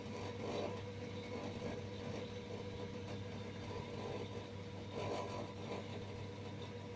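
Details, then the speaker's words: LG FHOH3NDS1 front-load washer, bought March 2019, during spin cycle: intermittent steady low hum with faint whine heard from the right side wall, with vibration and a burnt-rubber smell; new problem, washing otherwise normal. "Стиральная машинка издает странный звук сбоку, вот с этого бока, и легкий запах жженой резины."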